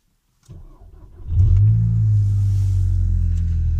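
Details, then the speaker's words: VW Golf GTI in worn condition, coolant leaked out, dash warning lights on: engine catches and blips to strong deep steady sport exhaust rumble; healthy revving. "Da, deci se aud și evacuările sport."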